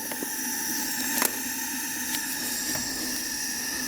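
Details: 1974 Yamaha TX500 that sat 27 years, leak-down test on the right cylinder with air fed down the cylinder. A steady hiss escapes back out through the carb, suggesting the right-side valves may not be sealing.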